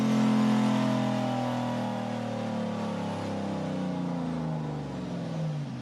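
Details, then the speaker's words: Turbo LS V8 Mustang on dyno, full-load pull with 5 psi on the dome, to 6,200 rpm: strong steady note bending smoothly in pitch, gate stays shut, no flutter, misses or rattle; normal turbo engine under full load. "You heard the gate stay shut, made a little more power. And you heard the converter work."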